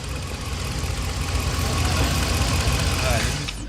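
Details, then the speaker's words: Hemi V8, cold start: fast light ticking over a rough, low idle from an exhaust manifold leak at a broken exhaust stud, loudest when cold, as distinct from valvetrain or lifter tick. "uh it mainly happened when it's cold so I'm gonna let the engine cool off a little bit and then let y'all hear when I went out and first started oh it was loud so it's the exhaust stu"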